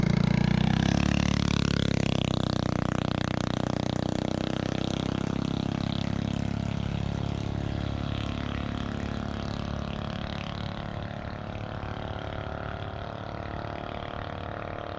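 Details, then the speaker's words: Coleman BT200X mini bike with Predator 301 engine swap, stock carb before a 28mm Mikuni flat slide, top speed run: high strained note held flat out, topped out at 45 mph, then sinking as it brakes; healthy. "oh geez hit the brakes that was definitely topped out i could hear it 45"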